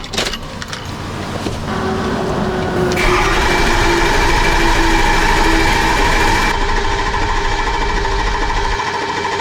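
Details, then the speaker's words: 6.0L Powerstroke diesel V8 after cylinder 3 injector replacement, with oil-rail refill and BG cleaner in the oil: cranks, catches and settles into a smooth, even idle with no misfire. "fixed it waiting for get to fill that o rail back up yeah smooth yeah it sounds good"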